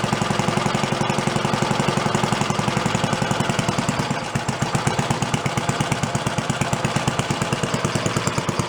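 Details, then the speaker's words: Antique Briggs & Stratton single (about 80 years old, water pump engine, sat 50–60 years) after carburetor repair, throttle slowed from its roughly 3,300 rpm setting: even chuffing about three firings a second, no knocks or skips; runs clean slow. "slow you can get it to go. Sounds good. Crap on the best side. Going pretty slow. Gonna stay going."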